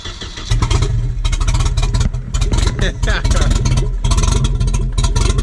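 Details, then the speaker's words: Volvo Penta AQ151C marine four-cylinder, first start in over 10 years: strong, even low thumping that catches and settles into a steady, beefy idle; running normally. "Oh doing this sounds so good sounds beefy yeah sick"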